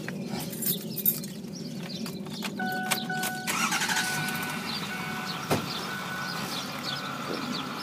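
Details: 2008 Ford F-350 Super Duty crew cab 4x4 diesel pickup, 152K miles, low idle hours, fresh batteries, fluids and filters: engine catches after a brief crank and settles into a steady, even diesel idle with no knocks or misses; normal healthy start.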